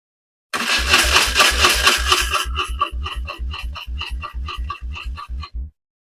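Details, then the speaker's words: BMW R1150RT boxer twin after clutch and starter motor work, not meant to start: brisk, even cranking about two compression beats per second with crisp clatter, louder than normal because no air filter fitted; starter motor is good. "But we now know that the starter motor is good. And first press, and it was turning over. So, yep, no air filter in. That's why it was a bit more noisy than normal."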